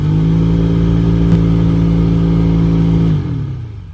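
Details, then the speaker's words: Jeep Cherokee XJ two-door after blower motor resistor replacement and blower case cleanout: steady fan drone with low hum, winding down smoothly when switched off; noise from debris still in the blower case. "there's definitely still some schmutz or stuff in the case i'm gonna vacuum it out once or twice more and see if i can get it cleaned up"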